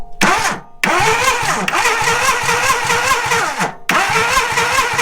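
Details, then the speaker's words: 1987 Suzuki Samurai with badly faulty wiring, engine previously seized after running out of oil: starter cranks in quick even beats over several tries but it never fires; no spark at the plug; cranks but won't start. "Nothing. Yeah, no sparks still."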